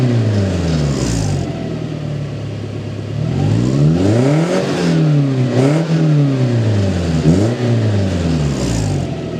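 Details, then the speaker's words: Toyota Tacoma 2.7L 3RZ after installing a 2-inch ID Thrush glasspack in place of the stock muffler, rev test: repeated clean blips with a deep, throaty note and no rattles or misses; normal revving, sounds like a truck, not that loud. "sounds like a truck. It's really not that loud."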